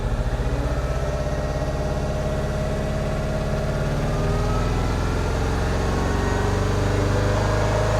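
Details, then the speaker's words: R56 Mini Cooper S, N14 engine, after head rebuild: idle lopes and pulses unevenly though it revs up fine; the cam timing was set with the timing tool but is suspected wrong, cam cover removed to check lobes. "It does rev up fine. Look at the dash. >> It sounds awful."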